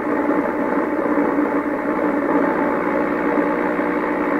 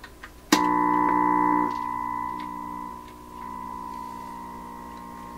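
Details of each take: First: 1928 RCA Victor Model 28V radio after trying replacement 226 tubes for a weak one: muffled, narrow-toned broadcast playing steadily through the speaker over light hiss; normal reception. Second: 1928 RCA Victor Model 28V radio with replacement 226 tubes being tried: 1000 Hz test tone comes through garbled, harsh and buzzy with overtones; suspected 60-cycle AC hum mixed in, not confirmed.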